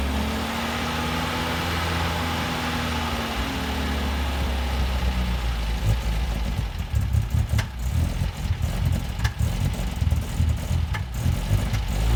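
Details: 1971 MGB being resurrected, dragged out of the garage before carb tuning: idles, then runs lumpy and uneven with irregular stumbles as revs are blipped; persistent misfire.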